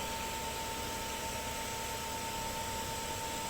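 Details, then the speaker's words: Household water pump motor after replacing a burnt capacitor, which had made it run very weak and quiet. It now runs steady and even, with a constant whirring hiss and fixed high hum, no knocks or surging. "तो capacitor जल गया हुआ था जिसकी वजह से आवाज़ बहुत आहिस्ता थी, और अब आप सुन सकते हैं कि आवाज़ में फ़र्क है।"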